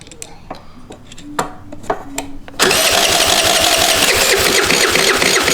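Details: Cheap Chinese 49/50cc scooter that won't start, spark confirmed at the plug: clicks, then quick even cranking around four turns a second with no catch or firing; cranks but won't start.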